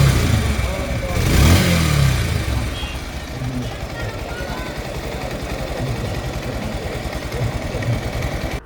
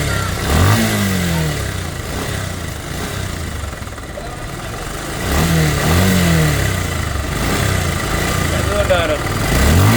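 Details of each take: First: Bajaj Pulsar double-disc motorcycle at about 16,090 km, ridden after a service that topped up low brake oil, adjusted and greased parts. The single cylinder revs, then settles into an even, steady run with no ticking or rattle. Normal, healthy running. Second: Bajaj Pulsar (double disc) motorcycle at about 16,090 km, in for service: single-cylinder engine blipped from idle in uneven surges with a rough, rattly edge on each rev; abnormal engine noise, cause not yet pinned down.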